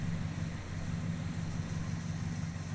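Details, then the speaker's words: Lumpy idle with irregular popping thumps from a 1959 Ford F100 with 302ci (5.0L) V8, 650cfm carburettor and C4 transmission, engine shaking, cold; misfiring, large temperature difference between right and left banks, cause unknown. "You can hear it in the sound, too. It's misfiring. And it makes a pop every once in a while."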